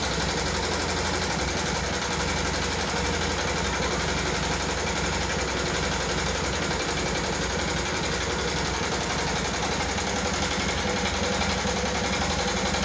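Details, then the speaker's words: 2014 Yamaha Jupiter MX carburetor motorcycle, rough "kletek-kletek" sound: idling with fast, uneven light clatter over the exhaust beat; top-end ticking, cause suspected, not confirmed. "Oke teman-teman sudah mendengarkan sendiri suara kasar pada motor Jupiter MX karburator ini yang akan mekanik bengkel kerjakan. Seperti apa suaranya, ngeletek-ngeletek, kletek-kletek, seperti itu ya teman-teman ya."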